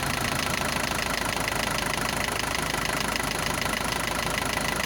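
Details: Isuzu NPR diesel, first start after 11 years parked, bad fuel, new pistons, sleeves and valves, cold at raised high idle: rough loud clatter with a fast irregular tap about two per second, gone once warm; sounds like a valve adjustment, not confirmed.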